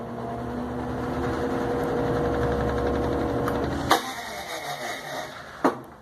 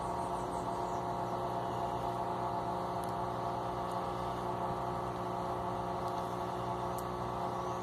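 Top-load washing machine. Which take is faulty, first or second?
first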